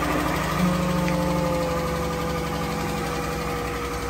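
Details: 2014 Dodge Journey AWD SXT, 3.6 Pentastar V6: faint fast even top-end ticking at smooth idle, valvetrain tick from worn rocker arms or lifters.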